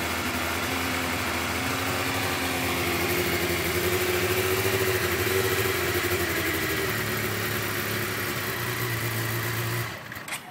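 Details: 2008 Suzuki GSX-R750, hot after a 2.5-hour ride and an hour sitting, engine around 129–131°: rough, lumpy, wavering idle as if about to stall; smoothed out after about four minutes, cause unconfirmed.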